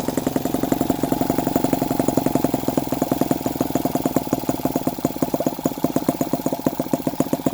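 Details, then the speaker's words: Hand-started tiny four-stroke engine with separate oil and fuel, carburettor and electronic ignition (TDC sensor magnet), idling with a fast, even patter of crisp regular firing pulses and no misses; normal idle. "Voilà. Je le démarre même à la main, comme ça. Une fois qu'on a trouvé le bon."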